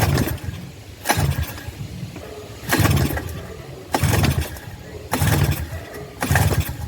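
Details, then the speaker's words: 1984 Suzuki LT50 two-stroke quad that sat uncovered outside for years, fed starting fluid: spaced sputtering bursts about once a second, each catching briefly then dying. It fires for the first time in years but won't keep running. "well it did just pop off let's see here choke so we did just hear it pop off for the first time in a long time probably years"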